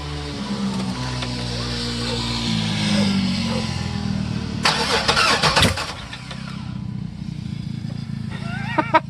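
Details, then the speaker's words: Chevrolet LT1 V8 no-start, cranking with fuel pressure at 40 psi key-on: steady starter cranking without catching, then a few sharp pops as it spits back; later traced to a bad Optispark distributor base (ignition pickup). "Alright, so that time she wanted to pop back, huh?"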